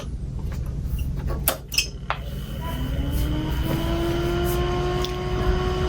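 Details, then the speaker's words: Tandy 2500 XL with original case fan reinstalled; spins up with rising whine into a steady roaring tone, much louder than a new replacement fan; owner suspects cheap old fan design or age. "And now you can hear that sucker roar to life. Well, either Tandy was using cheaper fans back then, fan technology might not have been as good back then, or just age."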